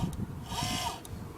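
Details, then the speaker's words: Farm rover project chair tilt motor: brief high steady whine rising and settling as the seat tilts, slow but very powerful, no grinding or clicking; normal tilt motor operation. "we can move the chair kind of slow but it's very powerful"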